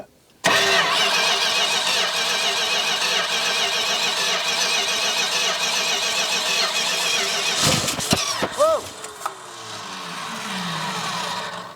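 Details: 1969 Dodge Charger sitting for years, carburetor just rebuilt, choke open: long even cranking, then a couple of short sputtering catches near the end that die away; signs of life, suspected fuel supply, later runs.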